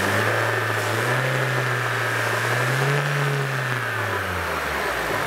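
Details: Citroën Xsara Picasso revved after fuel pump replacement: note rises then eases back smoothly, no misses or knocks; runs healthy.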